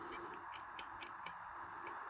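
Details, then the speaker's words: Failed DC voltage-regulated PC case fan with worn bearings: rough, hissy whir with light clicking about four times a second; fans from the same batch failed together with a bad smell. "Yeah, the bearings Well, you can hear that. That sounds really terrible."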